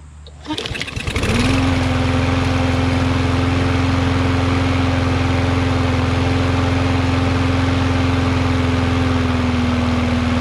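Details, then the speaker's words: Yard Machines MTD 21" mower, Briggs 550EX, after bending the bar to raise rpm slightly: pull start catches, then a steady, even hum at constant speed, about the right rpm. Normal running. "i know i was bending it the wrong way that's about the right amount of rpms"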